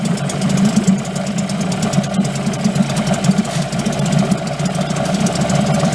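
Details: Late-1990s Mercury 5 hp two-stroke outboard, cover on, after reassembly and clearing a flood from running with the choke pulled: steady, even buzzing with a fast regular firing beat, no knocks or rattles; runs smoothly.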